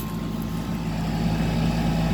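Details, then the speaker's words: Air conditioning unit that was worn out and wouldn't run, now running normally with a steady, even low hum from compressor and fan, smooth tone, no rattles or knocks; Freon level good, no charge needed. "Thing sounds good."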